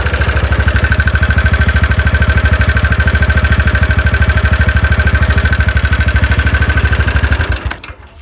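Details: TVS Ntorq scooter at idle after one-way clutch work, engine refitted: fast even tick on the idle beat until shutdown persists, so not only the one-way clutch; connecting rod problem suspected.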